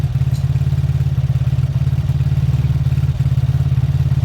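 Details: Beaten-up old Lexmoto motorcycle, many parts missing, just started after fuel reached the carb; low, even single-cylinder thump at steady idle with no clatter or misfires, left idling about 5 minutes to circulate oil and loosen up. Normal idle.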